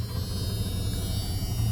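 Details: 1997 Ram extended cab, V10, 159,688 miles, hot 91-92 degree day: steady low idle rumble with a thin door-chime buzz over it; engine runs even and sounds fine.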